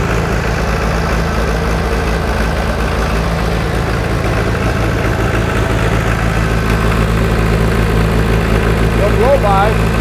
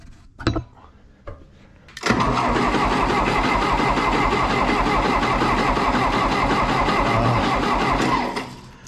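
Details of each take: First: 1960 John Deere 1010 diesel tractor, first run since budget engine rebuild, started on starting fluid without working glow plugs: steady even low idle thump, no misses or knocks; sounds good. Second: 1960 John Deere 1010 diesel tractor, first start after a budget engine rebuild, glow plugged and primed: even but lazy cranking around four turns a second that never catches. Slow cranking because the jump pack is too weak.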